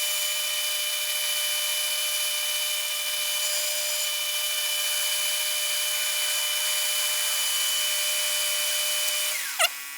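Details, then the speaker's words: Lathe parting off a part for a Keihin CR carb intake spigot removal tool, high-speed parting blade: steady high cutting hiss ending with a short squeal as part drops free; clean cut, part not hot. "here's a beauty part not even hot cuz this a high-speed parting blade and it generates a lot of tool load and it just gets super hot but with that nothing gets hot"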